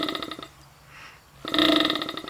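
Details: Opened refrigerator compressor shown as a demonstration, plugged in so the motor and crank-driven piston spin. Fast, even buzzing pulses come in two bursts with a quiet gap; it spins freely with no catching or jamming.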